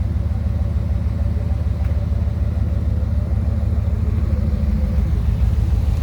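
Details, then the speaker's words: 2003 Ram 2500 quad cab long bed before a Flowmaster FlowFX cat-back install: loud, deep idle with a quick, even popping pulse under the seat from an exhaust leak right behind the catalytic converter. "kind of loud with that exhaust leak you can kind of hear it popping underneath the seat sort of speak kind of from where it's at"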